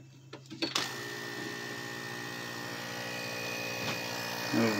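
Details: Recycled refrigeration compressor salvaged for use as an air pump: after a few clicks it starts and settles into a steady even hum with no knocking or rattling, running freely and producing air pressure.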